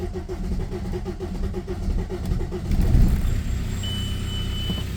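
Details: VW Passat diesel started after standing two months with suspected degraded fuel; the fuel pump buzzes, the engine chugs unevenly after long cranking, then catches to a rough idle as dash chimes sound; hard starting.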